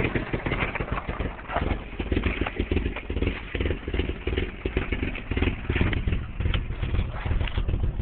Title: 89 240sx rough idle